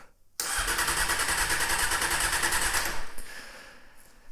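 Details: 1998 Honda CBR600, 34,000 miles, sat about a year: starter spins the engine steadily about two and a half seconds with smooth, even compression pulses but it never fires. Owner suspects dirty carburetors; fuel tap later found off; cause unconfirmed.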